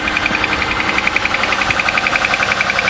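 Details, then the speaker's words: Cold start at about 35°F after sitting overnight, oil Castrol Edge Titanium plus Lucas synthetic additive: sharp regular metallic tick about 3.7 per second; owner fears a lifter. Cold-start ticking, cause unconfirmed. "yeah you can really hear that hope it's not a freaking lifter or something that would really suck"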